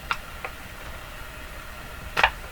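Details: Hallicrafters TW2000 communications receiver during IF alignment to 455 kHz, with a signal generator fed to the stator plates of the capacitor's center section. A few sharp, irregular ticks sound over a quiet hiss, and they persisted after the connection. Cause unknown.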